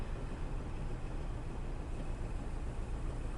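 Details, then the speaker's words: Daihatsu Taruna car AC (no airflow on blower speeds 1 and 2, resistor suspected): switched on, the AC compressor engages with a steady low hum under the running engine, working normally, before resistor replacement. "Nah, kompresornya nyala dan terdengar kompresornya dengung ya."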